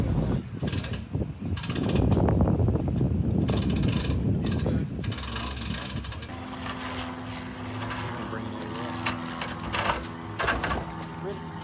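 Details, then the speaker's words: Boat trailer at a ramp: harsh, uneven grinding scrape for several seconds as the trailer rolls; the outboard skeg dragging on the ground and grinding itself down. "If you hear this warning sign of this thing scraping on the ground, if you just go a little bit further, that SKG right there will grind itself down."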